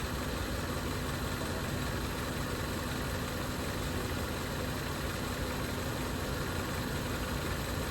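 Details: Engine just after start-up: steady low idle rumble with a rough, slightly knocking undertone; the car makes an odd noise every time it starts, cause not clear.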